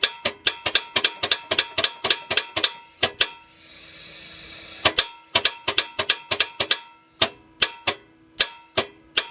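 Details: 2010 Toyota Sequoia 5.7 V8, microphone near the starter: rapid sharp metallic clicks about four or five a second, engine never turns over; starter judged bad.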